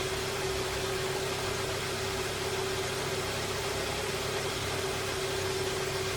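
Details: 2012 Hyundai Sonata idling after a radiator replacement while coolant cycles to bleed air: an even, quiet idle with a constant faint high tone, no misses or knocks. Idling normally.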